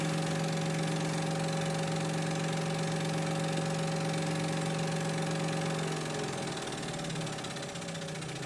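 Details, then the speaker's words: Hegner scroll saw after replacing the worn cam link: steady, even hum at full speed with no knocking or clatter, easing off toward the end; runs smoothly and quieter. "And now that's going at full speed. And I'm very pleased to say that that's one sweet smooth operation"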